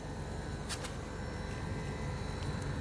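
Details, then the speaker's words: J-Tech inverter air conditioner, outdoor unit; it had run without cooling, then cut out. After crimping and soldering suspect loose wire connections: steady compressor hum under an even fan whoosh with light clicks; compressor now runs normally and cools, with condensate draining. "หาคอมพิวเตอร์มีเสียงดังนะครับก็คือทำงานปกติแล้วนะครับ"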